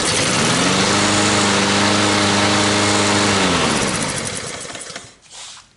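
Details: 2007 Troy Bilt mower with Honda engine after carburetor and blade replacement, cold start: fires on first pull and settles into smooth even run with steady tone until shut off; sounds healthy.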